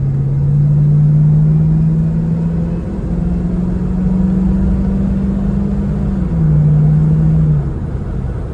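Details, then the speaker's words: Stock Ford Mustang GT V8 exhaust on a drive; smooth deep burble rising and falling evenly with throttle, no misses or rattles, running healthy. "This is what a stock GT sounds like."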